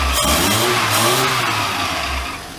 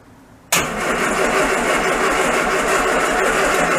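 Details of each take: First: Classic Mini van, first start-up after restoration, running on an old coil and HT leads, fan belt needing adjustment: engine revs up and down smoothly a couple of times without stumbles or misfires; running healthy. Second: Classic Mini van engine, first start-up after restoration, distributor drive reset and choke applied: steady starter churn about three turns a second with no catch; cranks but won't fire, intermittent faulty ignition coil giving no spark, fixed by refitting old coil.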